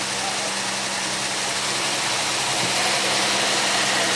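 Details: Pontiac Aztek engine at a first start after 8 months sitting in pieces. It settles into an even, steady idle with a smooth hum and no knocks or misses.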